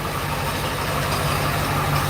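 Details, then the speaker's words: 2001 Ford F250 7.3L diesel, slow cranking battery at 12.8 V, just started after glow plug warm-up: rough idle with a steady gritty whir up front from the failing A/C compressor pulley bearing. "You can hear our air conditioner compressor pulley ready to grenade."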